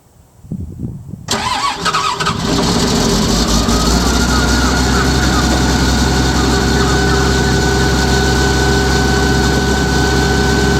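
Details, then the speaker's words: Hitachi excavator diesel cold start after sitting about three weeks: brief crank, catches and settles into a fast, steady high idle with an even beat, said to be common on Hitachis; expected smoke was minimal. "It idles high, where it starts really, well, they said it's common on Hitachis. I've never had a machine do it, so I'm sure she'll chug out a little smoke."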